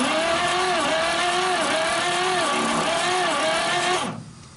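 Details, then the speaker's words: 1939 Chevrolet Master, stored 48 years, cranking with oil sprayed into the cylinders for a compression test on number 1. Steady starter drone with soft, even pulses and no firing. Number 1 reads just over 30 psi, which is low. "Okay folks, compression test number 1 cylinder. We got just a little bit over 30 pounds."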